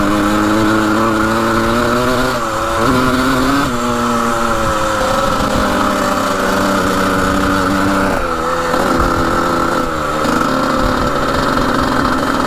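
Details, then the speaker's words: 1980 Suzuki RM125 two-stroke dirt bike with worn rings, temporary spark plug: blips climb lazily, taking a while to rev out, dropping back between pulls; slow to rev out, cause unconfirmed. "Takes a while to rev out all the way. You can kind of hear it."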